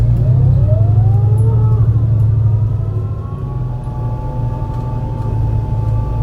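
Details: MAN NL202 CNG bus with ZF Ecomat 5-speed gearbox climbing a hilly route under heavy load: deep uneven exhaust drone, choppy stumbling beat; bad engine misfire uphill.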